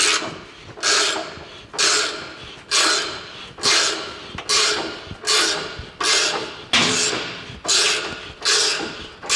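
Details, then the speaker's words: Race car coil-over suspension with misaligned weight jack bolt, spring offset in its cup, compressed under heavy force: harsh rasping scrape on every push, about once a second, rising then fading; coil spring binding and grating. "As you can see, the spring is way bound up in many different directions."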